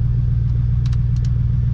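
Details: Truck engine after diagnosing a ticking under load, confirmed not the EGR: deep, steady idle rumble with an even beat, no ticking or puffing from the manifold; sounds healthy.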